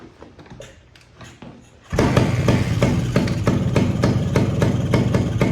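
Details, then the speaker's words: Suzuki TS185 barn-find motorcycle, sat about 25 years; first run after revival. Engine catches and runs with sharp regular puffing about three per second as pressure escapes through the old compression release valve (cable possibly seized), later removed. "Yeah, that compression release is releasing pressure. Let's take that out."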